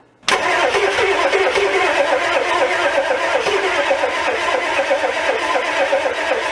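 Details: Old diesel revived, injector lines tightened and cross-threaded cylinder one injector extension repaired: sudden catch, then loud rough breathy clatter settling into steady run; so much blow-by, heavy crankcase gases, but it runs.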